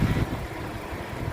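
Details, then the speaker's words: 2015 Suzuki Ertiga 1.4 GX manual, 1400 cc 4-cylinder front-wheel drive, about 87,000 km: low, steady idle with even, smooth hum, minimal vibration, no knocks or ticks; engine in good condition. "Jadi ritme suara mesin yang bagus, dia suaranya masih halus, konstan, getaran mesinnya juga minim."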